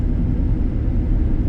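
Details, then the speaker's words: 2010 Ford Expedition 4x4, 5.4 engine, driving on tires about 30–35% tread: steady low road rumble with no clunks, rattles or tire hum; suspension and tires quiet; normal suspension and tire noise. "It drives good. It's got good power. It's a 5.4, so it should. They've They've always been um really strong motors and it drives smooth. I don't hear any suspension noise."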